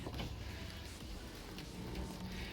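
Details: Mazda power window after regulator gear repair: quiet, even motor hum as the glass travels, with no grinding, clicking or stalling; window regulator working normally.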